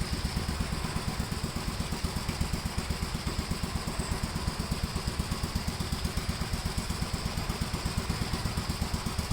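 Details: 1957 Gravely with a smaller 12-volt battery fitted, mowing soaked grass: a steady, even single-cylinder thump holds its pace under load with no misses or stumbles. It cuts with no problem and has plenty of power to spare.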